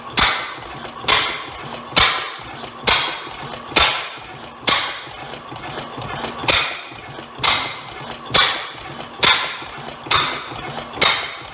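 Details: Rare old Bovard & Company engine restarting, believed two engines combined into one: slow heavy cracks about once a second with sharp ringing tails; owner suspects an exhaust issue or backfire, cause unclear.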